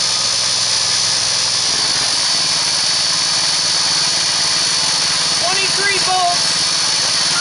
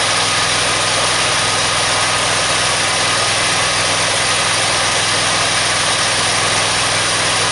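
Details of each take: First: Engine with a 3-inch pulley driving a 2-inch PMA pulley, at about 1100 RPM and 14.9 volts: a steady high-pitched drone with no shudder. It runs smoothly, and the new noise is believed to be a loose key. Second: Engine driving a DC generator through a pulley, switched onto load around 930 RPM and 55.5 volts: a loud steady drone that bogs and stalls in slowing pulses. It is lugged by too tall a pulley and may not run at idle.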